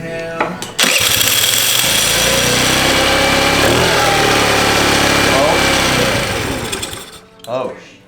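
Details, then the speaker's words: Cheap Chinese 50cc scooter that sat and won't start, with fuel visible in the filter: it fires with a crack, buzzes unevenly about five seconds, then fades out and dies; carburetor or petcock fuel starvation is suspected, carb to be cleaned. "she was happy for a second in a hotel room so i'm going to go ahead and i'm going to pull this card off and clean this car really good i'm thinking it's something carbureted or petcock"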